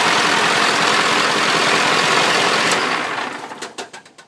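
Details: 1997 Powerstroke diesel in its donor truck, run on temporary wiring (12 V to PCM, starter relay switch) before removal for a swap into a 1958 Chevy; steady, even diesel clatter with no knocks or misses, then a clean shutdown: healthy idle.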